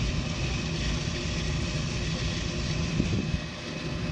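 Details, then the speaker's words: Harbor Freight rotary rock tumbler after loosened motor screws were found and motor slid forward to tension belt: soft, even low rumble, no slapping or squeal, steady barrel churn; much quieter, though owner thinks it may tumble slower. "I probably should have checked it before kiss quieter than heck"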